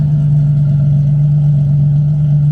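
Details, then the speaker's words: Nissan 350Z DE race car just after Tomei Poncam install, warming up at idle: deep, smooth, even hum with steady note and no knocks or ticks, no codes; sounds cammed but runs well, normal idle. "So guys, she actually kind of sounds like she's camped now. Sounds pretty good. No codes."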